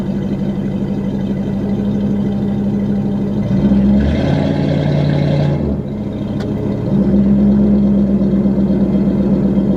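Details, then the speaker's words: 1995 Lincoln Town Car V8 exhaust through Flowmasters, with the first set of cats on the header kept and the others hollowed out: a deep, even burble at idle that rises with a throttle blip and settles back. The exhaust sounds healthy. "Um through Flowmasters and it still has the first set of cats but the others have been hollowed out and so that combination of the cats on the header and then the Flowmasters gives you uh well, this sound."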